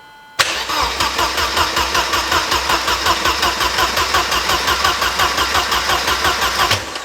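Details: Mercedes 190E after engine swap: steady cranking about three even pulses a second, never catches; brake cleaner to be sprayed in; cause unconfirmed.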